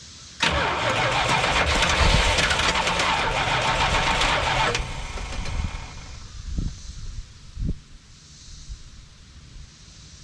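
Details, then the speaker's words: Early-1980s (81–82) Dodge 1-ton truck, sat about two years, gauge showing E: four seconds of steady cranking at about four beats a second with no sustained firing, only fired on sprayed fluid; crank, no start, out of fuel. "all right so we've got the fire a couple times but only on what I've dumped down his throat so I noticed that it shows that it's on E"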